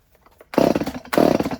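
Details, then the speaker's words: Stihl 019 top-handle chainsaw that sat for years, after a carb rebuild, choke repair and a new pull cord, with no spark arrestor fitted: two bursts of sharp, buzzy two-stroke revving at steady high revs, clean and even; runs great. "right, cool. That sounds good. Runs great."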